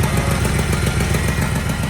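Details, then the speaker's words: 1981 Chevy K10 longbed V8, first drive in about 23 years: rough idle with a sharp, even puffing tick about seven times a second from an exhaust leak; power steering pump also whines slightly. "Still got the exhaust leak."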